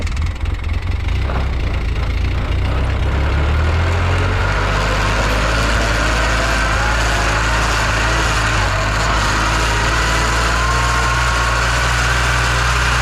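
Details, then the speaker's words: 2011 Polaris Ranger 800 side-by-side driving in low range, steady drone with rough gear whine from the rear transaxle, worse than high; missing gear tooth suspected, teardown found it beyond repair, transmission replaced. "first that sounds really bad we're definitely missing a tooth out of something if we try low range"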